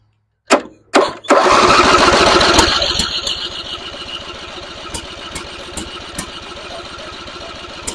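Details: Simplicity rear-engine mower abandoned 32 years, first start attempt with choke after an earlier fire without choke. A couple of sharp cranking bursts, then the small engine catches, roars up and settles into a steady, even run: normal start and idle.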